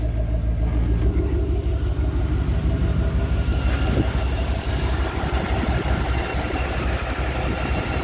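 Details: 2002 Chevy Avalanche with a swapped V8, first start of the new motor: a rough idle with a fast, thin, high squeak ticking in time with the engine. Valve cover off showed bone-dry pushrods and rockers lacking oil, with some steam rising.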